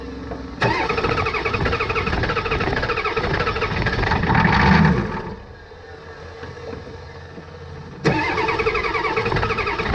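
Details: 1989 Ford F250 7.3 IDI diesel after fuel system work, glow plugs cycled and starting fluid used: starter churns about three beats a second in long bursts, never catches; fuel supply line found not tightened.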